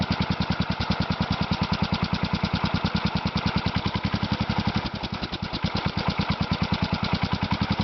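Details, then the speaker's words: Kohler Magnum 16 hp (K361 block), a used engine for a Bolens 1256 tractor. A strong, steady single-cylinder thump at an even, unhurried speed with no misses or surging; running well. "yeah so I'm pretty impressed with it so far"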